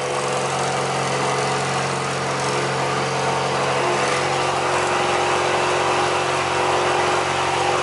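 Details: Alfa Romeo cold start after replacing a broken coolant hose and connector, coolant steaming off: loud, steady idle, even and smooth without ticking, knocking or stumbling; healthy engine.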